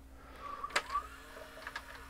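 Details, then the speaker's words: JVC HR-A592U VHS VCR with a load/eject fault: soft motor whir and sharp clicks as the mechanism threads and cycles with no tape inside; it always thinks a tape is loaded, though playback otherwise works. "see it thinks it's tape in there now of course I don't know what would tell it it's there's no tape in there it's going to reject it and then it dries again and that's the whole cycle it just thinks the tape in it"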